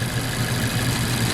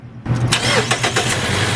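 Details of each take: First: 2014 Mazda CX-5 2.0L, about 140,000 miles, rough running with no codes: lumpy idle with a regular stumble; unplugging coil packs shows no change on cylinder 2, a dead misfire from a bad spark plug. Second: 2014 Mazda CX-5 2.0L, about 140,000 miles, after replacing the bad spark plug that caused a misfire: quick crank, catches at once into a steady even idle, smooth even when power braked; normal start and idle.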